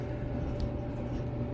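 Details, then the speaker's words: Maytag Bravos XL dryer running after the idler pulley was replaced. A quiet, steady low hum with a faint constant tone and no screech or squeak. The owner calls the little noise normal, so this is normal running. "that little noise is normal how it makes that little noise that you hearing but that's just the normal noise but it wasn't that loud screechy uh squeaking or whatever"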